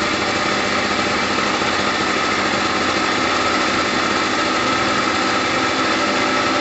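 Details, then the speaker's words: Gilera DNA 125 two-stroke scooter idling steadily with a crisp, even buzz and no misses or surging, after a new fuel line and fuel filter; two-stroke oil mixed into the petrol. Normal idle. "there's that two-stroke sound we're looking for there is two-stroke oil in the petrol so we're okay at the moment"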